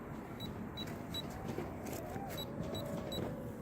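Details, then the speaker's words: Holy Stone Bolt Bee drone outdoors, flying gently forward on one stick: short high beeps about every half second over a faint motor whirr. The low-voltage battery warning is sounding. "Alright, you can hear the low voltage. Alright, let's put down and see how much time I got."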